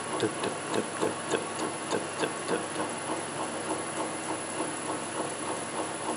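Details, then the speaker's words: Land Rover LT230 transfer box driven on a test bench after rebuild with new output ball bearings and seals: steady tick about three times a second over a hiss; owner unsure if a bad tooth or bearing, center diff ruled out. "now is that a bad tooth or a bad bar it picking up"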